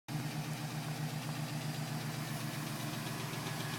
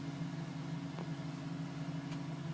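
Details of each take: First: 2010 GMC Sierra with 2000 miles, cold start. Light, quick tapping at idle that keeps time with engine speed over a steady hum; owner suspects piston slap. It was still tapping at 4 minutes and stopped at 5:42 as the engine warmed. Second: 2010 GMC Sierra V8 with 2,000 miles, warm idle after cold-start tapping stopped at 5 minutes 42 seconds as temperature rose: steady even low hum, no tapping or knock, normal idle; owner had questioned piston slap.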